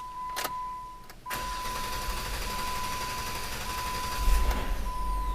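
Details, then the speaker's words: 2008 Jeep Wrangler JK 3.8L, two crank sensors already replaced: starter churns far too long before catching under a steady chime, then runs smoothly with slightly high idle; cause found as damaged flex plate teeth. "extremely long crank and it runs smoothly afterwards a bit of a high idle but that's probably just the usual first start of the morning"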